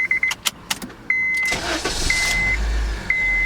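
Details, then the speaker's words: 2006 Honda Civic retested after replacing the suspected faulty ignition switch (intermittent no-start) with a used part: chime beeps, short crank, immediate catch and steady idle. Normal start on repeated tries. "If it starts on the first time, we're probably good. Perfect. Try one more time. Perfect. And third time's a charm."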